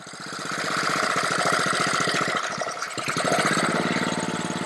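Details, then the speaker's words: Honda-powered Ryobi 3100 PSI pressure washer with stalling/low-idle problem: fast popping roughly 220 per minute, stumbling unevenly as choke is taken off, slightly improving; owner suspects the carburetor needs cleaning. "all right now it's a little better i'm slowly increasing well i'm taking off the choke i was getting a little bit better"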